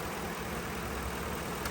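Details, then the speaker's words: 2010 Ford F-150 after repairing a damaged MAP sensor wire and harness plug and clearing codes (previously cam timing over-retarded bank 1, misfire, shaking): steady, even idle with a low smooth beat, no stumble or skipped firing; normal idle. "Oh my God. Guys, it sounds like a champ. No more misfiring, no more shaking."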